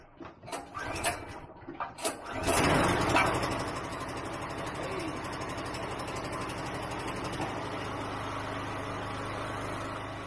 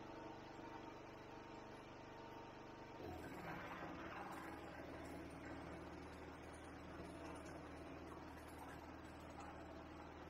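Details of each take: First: RYOBI 2500W generator, with fuel left in it, started after about 12 months of storage: a few pull-cord tugs, then it catches and settles into an even, steady running hum with no stumbling. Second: Ryobi 2500W generator, stored about 12 months, loaded with a 400W pump, a 400W lamp and a 2200–2300W vacuum: the engine note drops, rough and laboured, struggling right at its roughly 2400–2600W rating; generator overload.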